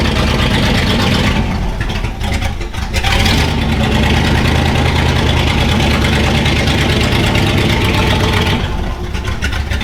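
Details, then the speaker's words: 1968 Ford F-100 V8 after tune-up (carburetor mixture, points gapped, timing adjusted), no muffler fitted: loud raw open-exhaust bark, fairly steady beat with slight roughness; runs decently. "you tell we still need to get a muffler on it that's coming in next week"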